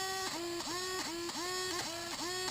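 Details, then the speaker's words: Brand-new Traxxas 2085 steering servo from a new X-Maxx: high whining hum that dips and recovers about twice a second while steering, with the TSM on or off; internal fault such as a broken gear suspected, not confirmed. "you should be able to hear the hum eNOS okay just spinning like the motor spinning in there now when I turn it it continues to make that noise"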